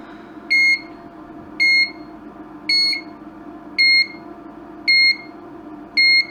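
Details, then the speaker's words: Broken LED dot-matrix scrolling sign (5 V input) on bench supply: shrill two-tone beep about once a second, repeating nonstop at power-up; owner suspects a supply voltage drop, so wires it direct to the bench power supply. "it almost seems almost seems like a voltage drop so I've got this wire just running direct into the bench power supply"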